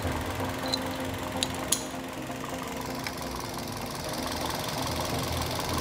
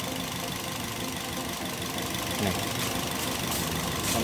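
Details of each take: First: Toyota Yaris (Bakpao) engine idling steadily with an even low hum and no stumble after replacing a dead ignition coil that had caused misfiring; RPM needle now stable, normal idle. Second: Toyota Yaris (Bakpao) four-cylinder at idle with the coil bolts removed to test coils one by one: stumbling, uneven shaky beat and visible engine vibration. Misfire and rough idle from a weak or dead ignition coil.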